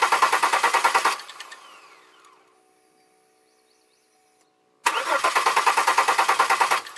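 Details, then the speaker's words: 2002 Chevy Malibu with fuel leak history: starter cranks evenly about three turns a second, stops, cranks again, never runs; spark confirmed, so fault isolated to fuel side, owner questions pressure regulator and why injectors don't fire. "hmm more troubleshooting but at least I know I have sparked so that isolates that and now I'm at the fuel fuel side of the house"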